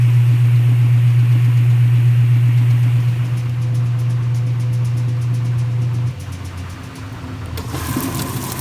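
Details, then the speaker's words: Restored vintage top-load washer with new snubber pad, washing a small towel load: smooth steady low hum with even agitation rhythm, no knocking or scraping; normal washer running. "so now we're gonna do a little towel so you can hear how the machine operates now followed up by use of the dryer and showing the vent outside"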